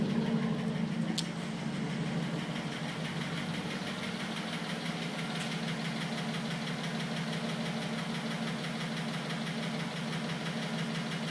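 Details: 2010 Cadillac Escalade ESV at idle: light, uneven tick about three a second over low engine hum, attributed to piston slap.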